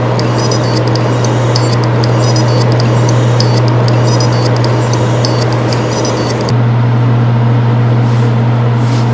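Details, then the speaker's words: Seagate Exos X18 16TB helium enterprise hard drive at power-on: short high beeps in groups about every 1.5 seconds over a steady hum, with no platter spin-up; heads possibly stuck on the platter, not parked at last shutdown. "那第三段几乎没有盘片转动的声音，只有一个报警声，硬盘呢是压根儿就没有启动。"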